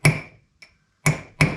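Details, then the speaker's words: 1939 Chevrolet front hub, bearing race tapped in with hammer around four points: three sharp blows ringing bright like metal on metal, the sound changing from dull thud once the race bottoms out fully seated in the hub. "yep you'll hear the noise it will go from like a d th to you know metal on metal so you can hear that"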